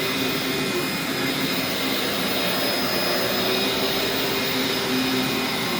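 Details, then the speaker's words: Old Dyson DC04 Absolute Plus upright vacuum running with a steady, even rushing hum and faint high motor whine, no rattles or surging; it agitates okay and is much quieter than the later DC07: normal running. "actually manages to agitate okay and it's not it's not great agitation for a you know it's an old Dyson so you don't expect it to agitate at all but and it's actually not very loud it's much quieter than it's been the later dco7"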